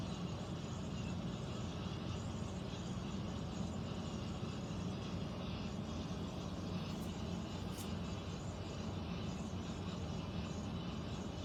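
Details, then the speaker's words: Central air conditioner ceiling air handler, heard in a bedroom and seeming to come from above the closet, gives a steady loud low rumble and rushing air with no beat or change; abnormal noise, cause unknown, possible leak questioned. "is the sound the air conditioner is making in the bedroom. Sounds like it's above the closet."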